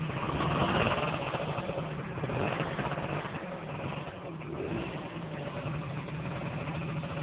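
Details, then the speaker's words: Dio-2 50cc two-stroke scooter, stock piston, rings and bore, with HHO cell module fitted: buzzy idle swelling with gentle revs, crisp and even; runs well, engine seems a bit more aggressive; normal idle and revving. "we tested it earlier and it runs very well engine seems a little bit more aggressive"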